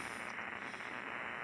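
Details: Heavy electrical or line noise received on an Icom 7300 at a ham radio shack: a harsh, constant rasping hiss with a buzzing edge drowns the band. Power-line interference is suspected; the source is unconfirmed.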